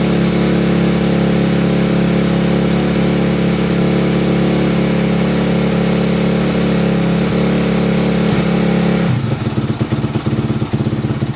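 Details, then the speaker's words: 2004 Honda CRF250X single-cylinder four-stroke, first start on choke after a top-end rebuild, with a new oil filter: it settles into a steady even idle with clean throttle blips and no ticking or knocking; it runs tight, normal running. "but as of right now this top end is done it runs good it feels nice and tight uh it's good to go guys"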